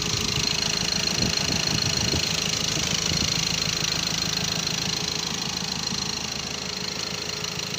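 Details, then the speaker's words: Ford Ranger TDCi diesel after rebuild (seized from turbo failure oiling pistons; crankshaft and all four bearings replaced, original turbo cartridge fitted): steady even idle, light regular clatter, no misses or knocks; sounds great. Normal idle. "ድምፁ በጣም ያምራል። ይሄን ይመስላል እንግዲህ።"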